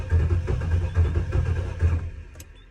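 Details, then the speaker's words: Holden VN SS that sat about a decade; after reconnecting a loose wire on the starter motor terminal, the starter spins the engine with a steady rhythmic churn for about two seconds, cranking normally. "Oh, okay, at this point, I'm not even worried if it runs or not. I just wanted to hear it turn over."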